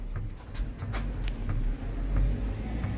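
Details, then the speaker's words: Fiat Toro 1.8 16V E.torQ Evo; shocks and bump stops were already replaced but the noise remained. Dull clunks and clicks as the body is rocked, from play in worn stabilizer bar bushings. "Olha a barra estabilizadora ali pessoal vamos ver se eu consigo Então esse defeito aqui é exclusivamente as buchas da barra estabilizadora"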